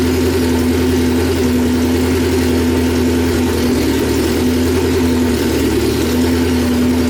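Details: 1995 Honda Civic on E85, idling after a new AEM E85 flex fuel in-tank pump and fuel filter install: steady, even idle with a smooth low drone, no misses, knocks or fuel pump whine. Runs fine.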